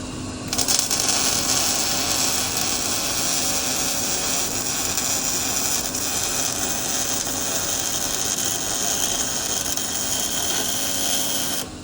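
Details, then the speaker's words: Beginner's first day welding, with the instructor running a demonstration bead: even, continuous frying crackle like bacon cooking for about eleven seconds, no popping or breaks as in the beginner's attempts; steady, consistent welding arc. "See how you could hear how it was consistent too? It wasn't that popping like you were getting. It was nice and even and just like bacon, right?"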